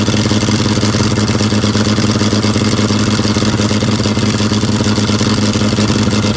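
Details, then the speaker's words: Abandoned John Deere 55 parts tractor, unstarted for about 9–10 years, gasoline bottle-fed: a steady mid-pitched idle with a slightly loping beat and faint clatter. It runs, slightly rich. "oh well i'm pretty excited that thing doesn't run too bad for sitting that long she's a little rich yet but i guess that's not the worst thing that could happen"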